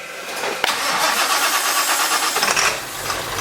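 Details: 1946 Ford running a diesel engine with glow plugs, in a cold shop at about 49°F, after earlier smoke and IDM relay chattering: brief crank, it catches almost at once and settles into a steady, even idle; a healthy start.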